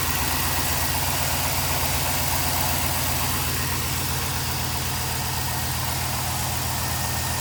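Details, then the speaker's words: LS V8 Chevy truck at idle after the exhaust manifold bolts were retightened evenly from the middle out and the lifted cheap gasket replaced: smooth, even burble with no ticking; the exhaust manifold leak is fixed. "you can tell we don't have an exhaust leak no more so they had to be coming from this gasket right there"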